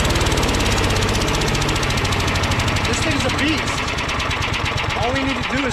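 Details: Troy-Bilt/MTD Gardenway chipper-vac with 5HP Tecumseh engine, started on choke: fast even single-cylinder putter, strong with no misses or knocks; engine healthy, shifter cable needs fixing.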